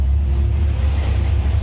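Deep steady low rumble with an even, slightly choppy cam lope and no misfire; a healthy idle on all cylinders.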